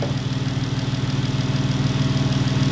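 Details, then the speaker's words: Jeep 3.6 L Pentastar V6 after replacing a broken rocker arm that caused a valvetrain tick: smooth, even low idle with a steady pulse and no tick; the engine sounds healthy. "no click it's got no click no click she's purring again i'm happy i'm so happy oh my gosh just that little rocker that's all it was"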